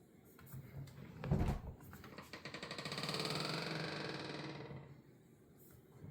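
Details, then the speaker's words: Simplehuman trash can, about a year old. A rising, wavering squeak swells over a couple of seconds as the lid swings, then fades. A dry pivot at the lid and pedal is suspected. "After a year owning each one, they both make this obnoxious squeak sound. I feel like it's coming out from somewhere in there."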